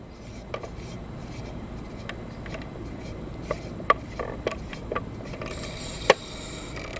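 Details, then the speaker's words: Crosley Stack-O-Matic record changer after its post and the rubbing plastic part were cleaned with rubbing alcohol: a low steady run with soft clicks and clunks as it cycles, and the earlier scraping is gone. Normal changer cycle. "I'm going to clean that post with the rubbing alcohol and the plastic part that rubs against it and I think we got a weight got a got rid of the scraping sound yep no more scrape"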